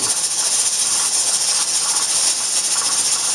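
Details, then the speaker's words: Pressure canner after processing chicken stock for 20 minutes at 10 pounds pressure, with the gas turned off: a steady, even high-pitched hiss of steam venting, with no sputter; normal depressurizing. "now the next part is really important do not try and rush this depressurizing"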